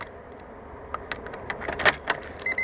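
Keys rattle into the ignition, then a quick run of even, high-pitched beeps begins: the normal key-in reminder.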